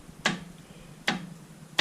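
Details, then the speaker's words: Colchester lathe, machine switched off, spindle rocked by hand: three sharp dry knocks from up-and-down play, easier heard than seen; worn spindle bushings needing rebushing. "there's play on that. You can probably hear it more than you can see it, but it needs rebushing, but that's a simple job."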